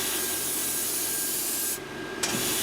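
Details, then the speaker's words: Electrovert Electra Wave solder machine fluxer with preheaters on: air turns on, pauses simulating a board passing, then a steady hiss of spray with a faint fine tone before briefly dropping out; ultrasonic flux plume spraying normally. "You can hear it turned on, the air, and then it's waiting, simulating a board coming through, so it'll be just a few seconds here and then it'll start spraying. There it goes. You can see it's got the nice ultrasonic plume."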